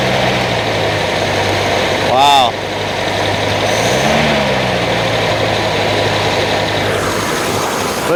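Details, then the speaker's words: 1949 Ford flathead, abandoned in the desert since 1977 and freed from being locked up: smooth, steady idle with an even low hum and no knocking, ticking or stumbling; runs healthy, though idle is set too high. "listen to how good it runs that's that's amazing wow"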